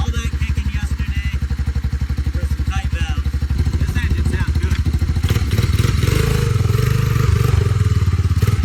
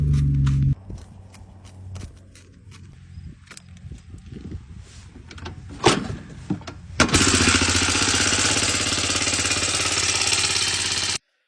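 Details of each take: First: Honda Big Red 200 three-wheeler single after its tight valves were adjusted and a carburetor fitted: a steady, even thumping idle that picks up slightly toward the end, smooth-firing though a little smoky, and running pretty good. Normal idle. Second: 1986 Honda 250 that runs well but has a horrible engine noise; the exhaust was loose, and valve clearance is suspected. Light tapping, then the single fires loud and harsh with a busy clatter over a steady idle, source unclear.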